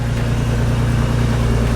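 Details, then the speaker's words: Manual Ford BA Mk2 XR6 Turbo at about 271,000 km, cold start after an override: steady low idle rumble with faint rapid puffing tick, sounds like an exhaust leak. "Sounds like it's got a exhaust leak already. So, we'll let it idle, come up to temp, and then um start doing some more video."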